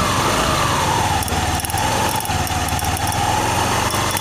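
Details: Honda Vario 110 FI after crankshaft wobble repair (left bearing housing rebushed, crankshaft trued), running with the belt part removed and only the front pulley fitted: a steady, even note with a smooth whine, no knock or wobble; back to normal.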